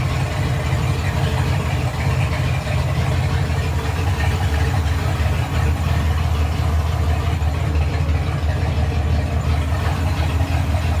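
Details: Fox Body Ford 302 HCI turbo build, running after battery relocated to the rear: deep, even V8 rumble at steady idle with no knocks, misses or surging; healthy idle.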